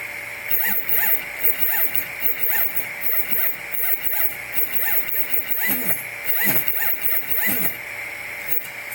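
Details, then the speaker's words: Replikeo Prusa i3 Z motors, unloaded, jogged from the LCD on uncalibrated Replikeo Marlin firmware; motors not hot, other axes fine. Fast moves give repeated buzzy whirring bursts with short stops about twice a second, a locking noise instead of a smooth drive. Stepper buzzing and stalling. "See, that locking noise is what I'm concerned about. Because I'm not getting a smooth drive on these motors."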